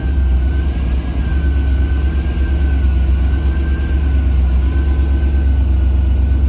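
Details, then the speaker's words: Boosted Ford Crown Victoria with a new intake manifold: idle holds fast and steady above 1,000 rpm with a faint wavering whistle. A visual check of the brake booster hose, vacuum lines, blow-off valve and fuel pressure regulator found nothing. High idle, vacuum leak suspected. "And you can see we're over 1,000. Now I did a visual check on the obvious things, like power brake booster hose, any of the vacuum lines that would have been coming off this thing, or the blow-off valve, fuel pressure regulator, any of that stuff."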